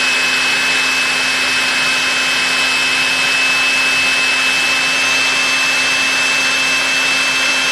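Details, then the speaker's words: Electrolux PN4 power nozzle, about 40 years old, first test run after re-greasing the motor and brushroll bearings, belt not connected; steady high whine at constant pitch, no grinding, rattling or surging, no major sparking; normal motor run. "but yeah that is uh that's running very very well nice and smooth to be sure and no major sparking"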